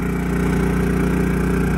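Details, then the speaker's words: Predator 3500 W inverter generator on first start, running an RV air conditioner plus a microwave: it idles up to a raised speed with a steady, even exhaust beat and handles the load, then drops back to a quiet idle when switched off. "ac and microwave running definitely starts using a little power definitely idled up there i'll go turn it off but it handled it"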